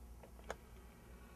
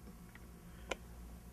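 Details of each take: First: Bugera 333XL guitar amp: background hum then a sharp relay click with a fainter one before it, channels switching on their own; caused by faulty front-panel momentary switches, not the replaced power regulator transistor. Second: Bugera 333XL amplifier with erratic channel switching, after the faulty front-panel momentary switch was treated with silicone: quiet hum with two sharp clicks as the relay switches over and back cleanly, no longer shorting; switch action now sluggish.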